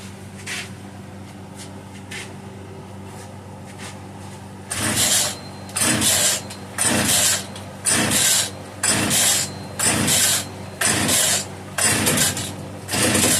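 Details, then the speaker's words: Italian-made Castor 330 Antivib (rebranded Alpina) chainsaw, free pickup, oil put in to lubricate top and bottom end, choke off, chain brake off: about one rasping pull per second with brief popping that never catches; has spark, trying to fire, then fires up. "Must have spark. She's trying to fire. Hey guys, she fired up."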